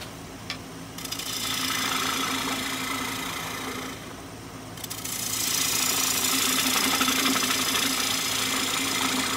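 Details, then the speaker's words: Lathe turning a very dry apple-wood bowl blank, about 11 in, that has a crack: a quick, even ticking about four times a second over the hiss of the cut; a new noise started while turning, cause not stated. "you may have heard it just started making a new noise there that crack has stopped that crack does not continue on it stops just before we get to this this section here"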